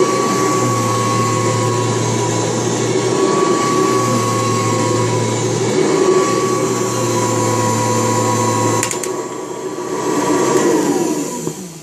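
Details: March 1989 Kirby Heritage 2 / Legend 2 (2HD) vacuum, restored with new foot switch, power cord, brush roll and light bulb: steady even motor hum with clean high whine, then smooth spin-down at switch-off; normal running.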